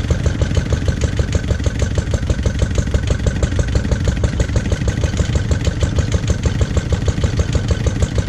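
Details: Lister D single-cylinder petrol engine, first start after 20+ years and restoration: chuffing about three beats a second, stumbling and surging unevenly instead of steady idle; owner suspects timing and carb settings need adjustment.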